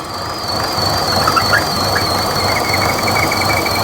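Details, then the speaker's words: 2014 Buick Encore 1.4L turbo running rough with P0171 lean code: thin steady high squeal wavering over rough idle as excess crankcase vacuum sucks air past the rear or front crank seal; faulty crankcase ventilation (PCV) system. "so it's got a problem with this crank case ventilation system you see how much vacuum it's building in the crank"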